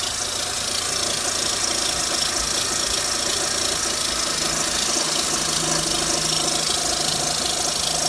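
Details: 2004 Mitsubishi Lancer Ralliart idling with a dull, uneven knock under a bright hiss, source unknown; new coils, plugs, belt tensioner, idler pulley, harmonic balancer, serpentine belt, thermostat, valve cover gasket and a short aftermarket intake.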